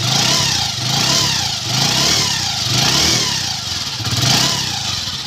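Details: Bike with a 110 cc engine after a full engine rebuild with new timing kit and chain-tensioner parts, self-started. Small single revs rise and fall smoothly in even waves with no knock or rattle: normal revving.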